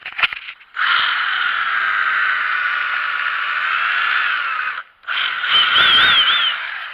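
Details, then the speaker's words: Craftsman impact wrench with a known fault: two short runs of a nasal, goose-like honk at steady pitch and low speed, still present after reassembly; owner guesses something is worn out; abnormal honking noise. "let's see if it makes the moronic goose sounding thing watch it not work now still makes it sound"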